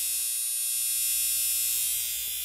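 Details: Suburban P40 120-volt furnace in a park model RV, heard from the bedroom: steady electrical buzz with low mains hum, louder with the cover off, from a failed control transformer, which is replaced.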